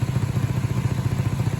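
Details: 2008 Audi A8L W12 idling, found after purchase: steady idle with a low rapid puffing pulse in the exhaust note from leaking flex pipes and resonator.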